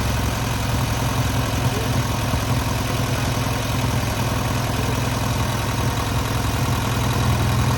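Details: Newly rebuilt air-cooled VW 1600cc flat-four on its first start and break-in: smooth, even low thrum at idle with a regular beat, no tapping or misfire; normal idle.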